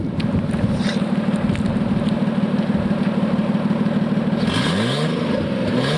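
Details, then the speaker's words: 1989 Nissan Skyline GTS-T Type-M, possibly modified: deep, lumpy idle with a fast puffing tick, then quick free revs; exhaust leak near the footwell where the front pipe meets the rest of the exhaust. "It sounds like it's right near where your feet are, right where the front pipe meets the rest of the exhaust."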